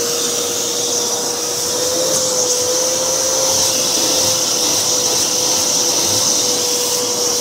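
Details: Older V H2O Turbo canister vacuum with four-speed motor, turned up to higher speed: strong, even high-pitched motor whine with loud airy rush holding steady, suction increasing; normal running at high speed.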